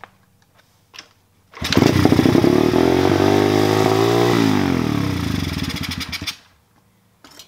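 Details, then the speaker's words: Warmed-up pit/dirt bike with choke closed and idle screw pushed all the way in; engine races high and steady for about five seconds instead of settling, idle speed too high, to be corrected by backing out the idle screw. "you heard right there it was revving up extremely high with it pushing all the way which is good which means that's one of the things that we can actually adjust to have it working so with it pushed in it's revving too high"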